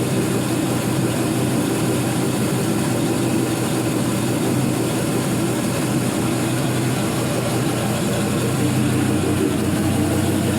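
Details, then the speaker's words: 4.8L Gen 3 LS V8, 175k miles, new lifters, oil pressure about 42 psi: deep steady idle burble, unbroken rhythm, no knocks or misses; no weird noises, healthy. "there's just no drama on this one [Music] no weird noises no drips"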